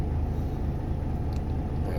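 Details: Volvo FM13 Smart Eco 400 hp truck diesel with idle lowered from ~600 rpm: deep, even rumble, no knocks or misses; charging 28.8–29 V, oil pressure unaffected, A/C still cold; healthy low idle.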